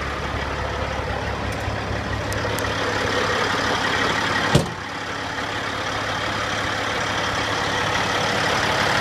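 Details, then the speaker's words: 2005 Sterling LT9513 dump truck diesel; starts nicely and holds an even, steady idle with no knocks, misses or surges, just a brief clack midway; sounds healthy. "everything looks like it's working starts nicely it sounds good"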